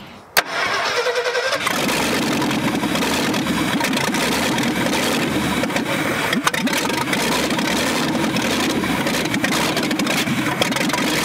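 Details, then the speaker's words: 1965 Ford F100 buried over 50 years, running with no exhaust, choke not yet sorted: starter catches, then loud, raw, even idle with no misses or knocks; sounds good; normal idle. "it ran there's no doubt that's crazy it sounds good too i mean other than it being extremely loud from no exhaust"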